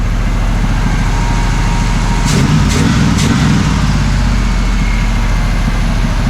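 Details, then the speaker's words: 1979 Camaro Z28 V8, sat abandoned, after carb rebuild, new plugs and wires tune-up, idle adjusted down; even throbbing idle with no misses or ticks, running on all eight; normal idle. "just like that y'all tuned up sounds like it's running on all eight [Music] now"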